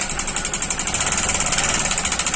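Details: Honda CB Shine engine: a fast, steady metallic clatter of around eleven beats a second, a knock from a worn bearing and damaged piston and cylinder.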